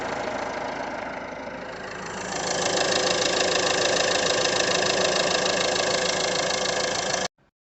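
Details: Peugeot 2008 1.6 HDi DV6 diesel at 131,000 idles evenly, stepping up slightly then holding steady with no knocks, rattles or wobble, after the noisy crank pulley was replaced and the second belt tensioner refitted; sounds healthy.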